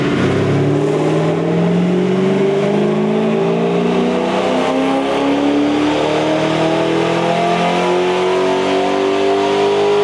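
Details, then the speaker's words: C5 Corvette V8 with eBay intake, LG long-tube headers and Hooker Blackheart catback, full-power dyno pull on a new tune with MSD 2-step off; smooth, even climb, no popping or misfire; healthy, about 339 hp and 374 torque. "We're gonna do a full pull. We turned off the MSD box. Shouldn't be any flames this time, so we're just gonna see max power. So far, so good."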